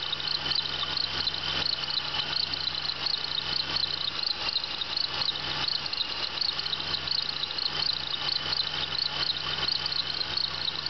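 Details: 1996 Bonneville SSEi at idle: sharp, high chirps about 86 per minute, the dry-bearing chirp of a bad idler pulley.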